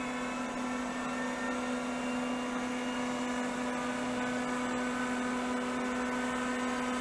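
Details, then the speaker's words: 1980s CDC Finch 8-inch hard drive powered up for seek and read tests: smooth spindle spin-up with quiet bearings, but no head-seek clatter follows; heads fail to self-seek. "[Music] the heads should have done a self-seek and they didn't that's not good"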